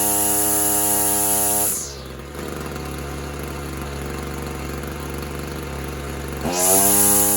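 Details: Husqvarna trimmer running on half choke: high steady buzz drops sharply in pitch, stays labored several seconds, then revs back up; engine bogging under load, cause unconfirmed.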